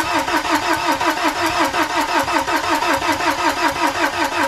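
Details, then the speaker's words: BMW N47, first start attempt after timing chain replacement and engine reinstallation, ignition cycled to prime the fuel. Even starter churning at about three beats a second, and the engine doesn't catch. A flat battery is found, drained over weeks connected. "first what I'm going to do is cycle the ignition on and off like said to get fuel to the fuel pump to the fuel rail and then the injectors and everything so we'll do that first and we'll try to crank it and then start it"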